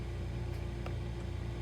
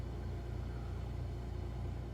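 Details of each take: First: Frigidaire side-by-side refrigerator (LFSS2612TF4) after replacing the stuck fridge air damper (part 242303001): steady low hum, damper opens with no more clicking, one soft end-switch click; normal operation. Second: Frigidaire side-by-side refrigerator, model LFSS2612TF4: damper motor clicking about 1.5 times a second over a low hum while the fridge air damper stays stuck closed, so the fridge warmed to 50°F while the freezer kept working; fixed by replacing the damper, part 242303001.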